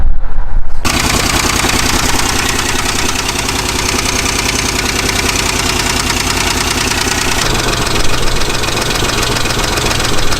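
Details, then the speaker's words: Truck engine with anti-lash followers instead of lifters, runs without misses, oil pressure good: rough idle with loose, uneven knock about three beats a second that comes and goes, fading to a tick or silence; intermittent engine knock, suspected internal, oil pan to come off. "I mean you could hear that it'll knock real bad and then it quiets down someone it goes to just a tick and then if some points it'll be dead silent and then it'll come back"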